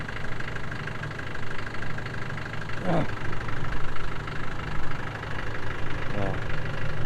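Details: 1996 Land Rover Defender 110 diesel idling on a cold day, ticking away with an even, low, light steady clatter, no misses or knocks; healthy normal idle.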